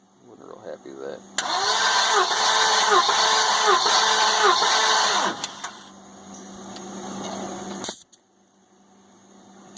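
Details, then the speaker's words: Compression test on the 550 engine, third cylinder back, checked after a noise suspected to be an unpumped lash adjuster. Steady cranking with even, strong pulses roughly once a second, no stumbles. Reads 170 psi. Good compression. "170 pretty good I'm can't say I'm disappointed"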